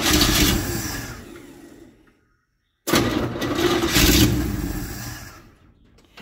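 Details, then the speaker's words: Chevy 283 V8 in a parts truck: catches and roars about two seconds, then dies, twice; it dies out even when the throttle is worked, but there are no knocks, and the bottom end is judged good. "It will light right up. That's all you can get out of it. Even if I play with the throttle, it just dies right out."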